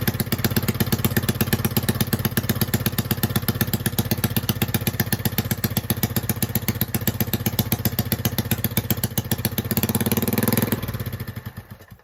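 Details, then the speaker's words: Honda 5.5 hp single-cylinder, rebuilt after three years outdoors with new carburettor and coil, bent push rods: uneven putter about four beats a second, picks up then dies; rough idle on choke. "so when you turn the choke off it still is rough but it was idle let's see if we get to do it same thing again"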